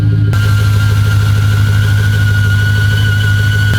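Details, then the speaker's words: LS-engined truck, previously driven about 20 minutes at 4,000 rpm with zero oil pressure: loud idle with a constant high whine at one pitch over the exhaust. Belt suspected, then the power steering pump; source unconfirmed. "don't think it's the Bel sounds like the power steering pump or something"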